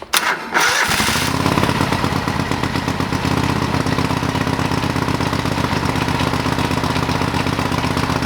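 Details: Old lawn mower restarted and still on old gas in the tank: catches after a brief crank and runs on with an even, steady putter at constant speed; engine running normally.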